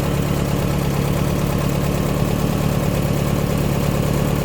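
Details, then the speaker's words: Air-cooled VW Baja Bug engine (spare long block, new top end) just after oil change and valve adjustment with reusable silicone gaskets: even, steady idle with regular chuff, no knocks or ticks, good oil pressure; normal idle. "We got good oil pressure. All right, let it run."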